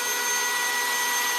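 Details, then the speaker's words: 351 Cleveland engine oiling system test rig with a lifter removed to simulate an extreme leak between oil pump and pressure gauge: the drill-driven pump spins freely with a high, steady whir, and the pressure gauge doesn't move. "We got nothing on the pressure gauge. It's not even moving the gauge. And you can hear how much faster my drill is going."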